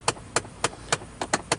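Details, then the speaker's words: 2006–07 Chevy Monte Carlo: sharp, rapid clicks, about three to four a second, from behind the dash on the driver side, caused by a failing blend door actuator of the dual climate control. "So we know this sound. That is an actuator. And anyone who's had 5th, 6th gen Monte Carlos, Impalas, I'm sure if you've had the car long enough, you've definitely heard this."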